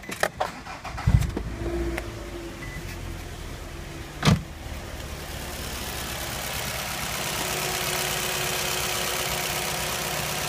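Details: 2004 or 2005 Nissan Altima that stumbled at idle after a valve cover gasket change, suspected vacuum leak; after an o-ring repair: a few handling knocks, then it catches and settles into a steady, even idle with no hiss or hunting.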